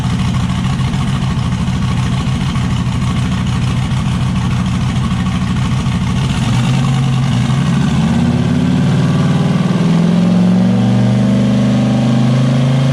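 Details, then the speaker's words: Turbocharged V8 Zodiac S10 after fire-up with turbo setup, wideband not yet hooked up; choppy, uneven idle rising into a rev with rough, missing edge at some speeds. "but it sounds kind of like it's got a little bit of miss at certain rpms but it clears out a certain rpm he'll take a while get all the bugs worked out"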